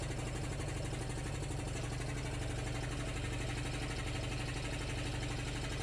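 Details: Homebuilt belt-driven compressor with an aftercooler and water trap, recorded close up: steady, even pump chug over a constant motor hum, with no knocking or belt squeal. Normal running; pulley at 45°C, belt not slipping.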